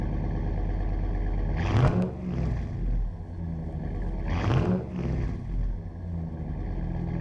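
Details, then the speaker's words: 2009 Dodge Ram 5.7 HEMI V8 (replacement engine just past 500 miles) with new Flowmaster Outlaw dual exhaust replacing Banks Monster: deep smooth idle, two clean throttle blips; more aggressive, deeper, loud only under throttle; normal exhaust note. "Yeah, it's a bit more aggressive, but it's deceiving. The Banks exhaust was just loud all the time. The Flowmaster exhaust here is only loud when you're on it."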